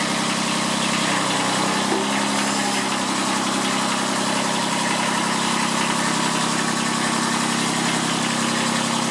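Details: Kubota B7001 diesel tractor, about 10 °C, just started after two months unused and a hard cold start, in neutral: even rattly idle, steady clatter, no misses; normal diesel idle.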